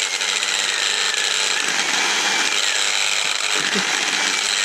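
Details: Bosch delta sander, motor spins silently by hand but when powered makes a harsh, rattling high-pitched racket and gets very hot within seconds; fault lies inside the motor, brushes contacting okay.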